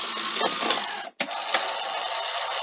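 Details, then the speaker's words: Sony SL-HF100UB Betamax VCR on power-up with a tape in: loud, hissy, clunky whir and scattered clicks from the tape transport, no winding at first; owner wonders about a past moldy tape or leftover isopropyl on the drum. "oh yes it's very clunky isn't it seem to remember it's a bit clunky before foreign s um gosh that sounds awful what's happened there"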